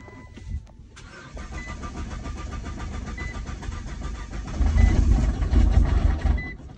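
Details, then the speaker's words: Nissan GT-R R35 with code P1220 (fuel pump module), fuel pump wired to the battery, jumper battery connected but still low: starter turns over slowly, about four labored chugs a second, with dashboard chimes; weak crank from low battery. "Let's try again. Ah, battery is still low. Let's wait a little bit till the battery get more use. It's kind of low."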